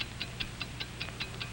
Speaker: do you hear it's the ticking of a fine watch wherever you go whatever you do america's fine watch ticks steadily accurately on five ticks every second